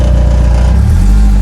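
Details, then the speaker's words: BMW Z3 roadster, 105,000 miles, started after sitting a week: loud steady idle with a coarse low rattle that goes away with a touch of throttle; exhaust looks fairly new, owner unsure if it is fitted correctly or needs replacing. "If I just touch on accelerator, that rattle goes. I don't know if the exhaust looks fairly new. I don't know if it's been fitted in correctly or if it's just nappy that we need to get a new one."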